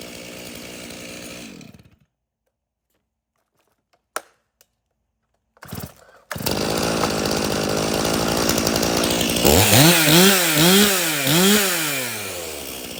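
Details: Stihl chainsaw (customer's MS 391 or MS170), dropped off because it would not start; its fuel had some dirt in it, then started outside at night. It runs briefly, falls silent, then fires and revs cleanly up and down; it sounds healthy.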